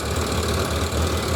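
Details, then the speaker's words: 1991 Suzuki GSX1100G on partial choke, with recently reworked carbs and mercury sticks attached, has a lumpy, clattery idle with uneven pulses; the four carburetors look probably out of balance. "Okay, so I've got a bit of choke on it at the moment, and it looks like it is probably out of balance."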